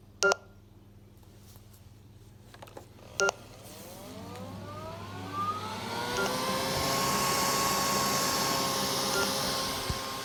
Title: Neato Botbac D3 beeping sound